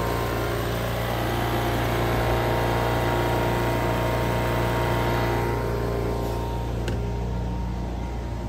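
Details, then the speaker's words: Old Honda EV6010 generator, first start after purchase with a little starting fluid: steady even drone, constant low hum, no knocks or misses, about 75 decibels, as loud as a lawnmower; running normally. "It's about 75 decibels, about as loud as a lawnmower."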